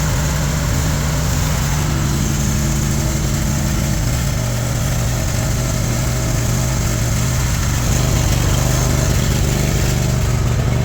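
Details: Cub Cadet zero-turn mower with a Kohler engine, after repairing a rubbed-through wire that left no voltage to the fuel solenoid (crank-no-start): a steady low, even thrum with no stumbles or surges for over ten seconds; it runs smoothly and sounds healthy.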